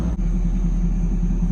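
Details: 1992 Chevrolet Camaro RS, Chevy 305 V8 with 700R4 transmission, first start after months sitting: smooth, even idle with steady low rumble, no hunting or surging; initial high idle has settled back to normal, slight white smoke of unknown cause.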